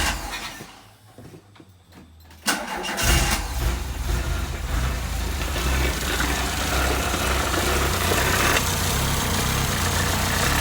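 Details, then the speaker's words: MK1 VW started cold right after valve adjustment and cam swap: short crank, quick catch, steady even idle with no ticking or misfire; night and day difference, clearances rechecked fine, one intake slightly loose. "Night and day difference."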